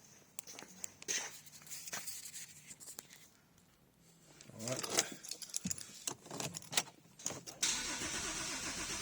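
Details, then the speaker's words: Porsche 997.2 that has not started before: starter spins in quick bursts with keys rattling nearby, trying to fire but never catching. Fuel pressure builds, no leaks, no DME fault codes, compression sounds good; fouled spark plugs suspected, not confirmed. Cranks, won't start. "so the spark plug must be really really foul um that's why it's not firing it's trying to fire but doesn't want to fall"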